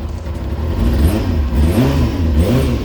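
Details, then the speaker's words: Rebuilt Kawasaki Ninja motorcycle on a cold start, choke now off, with steam from the exhaust: the engine runs smoothly and rises cleanly on a few throttle blips with no misfire or rattle; normal cold-start running. "that's just sort of a cold start and the choke's now off that's pretty good"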